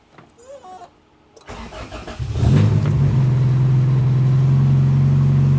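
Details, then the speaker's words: Honda CRX, first start after replacing the budget fuel cell with a Radium fuel cell and surge tank system: starter cranks briefly, engine catches at once into a steady, even idle; enclosed pumps far quieter than the old exposed fuel pumps; fuel pressure 40 psi. "Oh, good. Oh, good. That is so much quieter than those exposed fuel pumps were."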